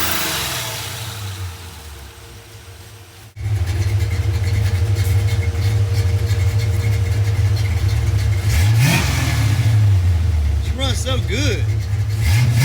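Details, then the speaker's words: Carbureted car idling after repairs, interior partly stripped, blow-by still present: low, even exhaust rumble with cooling fans whirring over it, no knocks or misses; a healthy quiet idle. "it's so quiet y'all you can hear the fans over the exhaust of the car"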